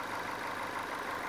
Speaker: So, you can hear there this thing's nice and quiet. It's not making any unusual noises.